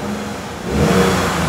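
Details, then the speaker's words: Lexus V6 with 114,000 miles, first start after engine internal repair, new belt and plugs and cleaning: short clean blip rising smoothly and settling, no knocks or misses, only a little tailpipe smoke; revs healthily. "let's see if there's any smoke that comes out of the tailpipe okay totally normal totally normal we had a lot of stuff disconnected for a long"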